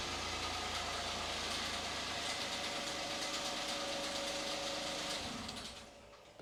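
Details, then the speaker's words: 2013 Toyota Aygo 1.0 petrol idling after a spark plug change. Steady, even idle with a constant hum and no misses or knocks, settling quietly at the end. Runs smooth; normal idle. "gym but um that seems to run smooth enough"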